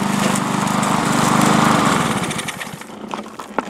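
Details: Lawn mower that wouldn't start and had sat with old gasoline, after draining the fuel, fitting the filter and charging: a small single-cylinder engine fires and runs with a steady, even buzz.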